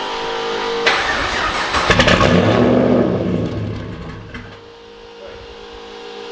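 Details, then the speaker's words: HX Holden one-tonner ute with a turbocharged LS engine, first start with no muffler fitted: a cold start, then sharp revs that bark and crackle far louder than expected. The turbo doesn't quiet it, and a muffler is needed. "we're definitely going to have to try and put a muffler in it way rowdier than we expected it to be so you're about to hear it for the first time as i am i really thought the turbo would shut it up at least a little bit and it just really hasn't not even a little bit"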